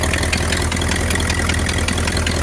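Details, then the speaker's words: 1960 Ford Thunderbird, possibly an original 41,000 miles (unconfirmed), V8 idling: steady low rumble with faint quick puffing ticks. The engine otherwise sounds good; a small exhaust leak is suspected around the manifold or the dump, uncertain. "the engine itself sounds pretty good he a little exhaust we can somewhere between that manifold could be at the uh at the dump hard to"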